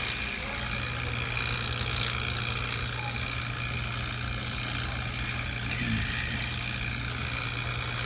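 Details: True T-49F two-door commercial freezer after rebuild, evacuating to 75 microns and weighing in the refrigerant charge: a steady, even low hum with no knocking, rattling or surges; compressor runs normally.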